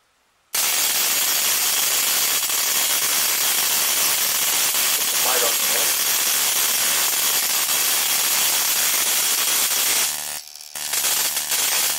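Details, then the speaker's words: 555-timer ignition coil driver/tester on a 7 Ah sealed lead-acid battery, MOSFET-switched, 104 (0.1 µF) timing capacitor: a continuous harsh buzzing crackle as the spark jumps a gap of nearly an inch, ozone smelled; normal coil spark. "Okay, I could smell ozone that was generated from the arcing."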